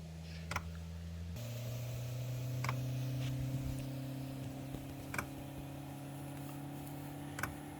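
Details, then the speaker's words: Planar 2 kW diesel heater, unused over 2 years in storage, cold start: sharp single fuel pump ticks about every two seconds over steady fan hum, priming with no diesel in the system yet, before the burner lights. "You can hear the fuel pump there, it's obviously priming, there's no diesel in the system."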